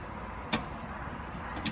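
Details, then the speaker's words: 2017 Fiat Toro at 24,000 km: two sharp isolated knocks about a second apart from the front suspension, caused by a worn stabilizer bar bushing letting the bar knock. "causador do barulho 1 a bucha do estabilizador ela é a criança a velha aqui ó eu quero desgaste o estabilizador corre O que começa a bater um quadro"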